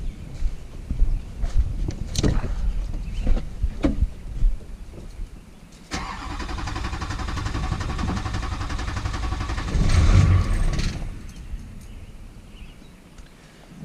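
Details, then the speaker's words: Wrecked rollover rebuild vehicle on a start attempt: the starter cranks in uneven bursts, then a brief rough run fades without catching. It cranks but won't start; owner suspects fuel and plans a fuel filter/water separator and bleeding. "right so she turn over once and then nothing sounds like fuel to me"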